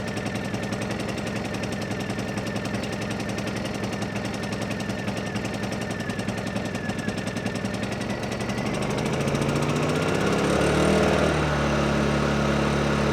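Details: Honda EU2000i generator after carburetor cleaning, choke now off; steady, even chugging that climbs smoothly in pitch as load picks up; keeps running cleanly without choke, normal running.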